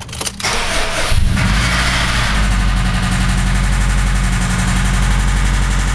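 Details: 2005 Subaru WRX cranks, catches and settles into idle with a deep, steady rod knock underneath the exhaust note.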